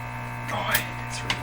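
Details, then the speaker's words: 1935 Rogers Model 7R622 tube radio after replacing the last unreliable capacitors, receiving stations: steady low hum with buzzy overtones under faint tuning noises. Mains hum, cause not yet confirmed. "i don't like that hum at all"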